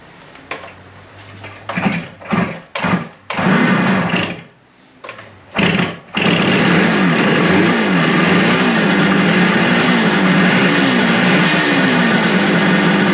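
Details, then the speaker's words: Suzuki two-stroke motorcycle after carb cleaning, vacuum port for vacuum-operated petcock covered by finger to stop a big vacuum leak, points unadjusted; sputters then catches into a steady, crisp buzz with clean revs, running well. "And it ran much better. I didn't expect it to light off that fast and run that good. I mean, I didn't adjust points at all. It sounds like it's right on."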